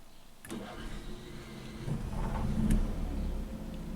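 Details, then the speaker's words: Motorhome generator after replacement control board fitted, started from inside the cab: starter whirs, generator catches and settles to a steady, even low hum. Normal start and run. "Okay, it's running. Now we should have 120 inside the whole coach."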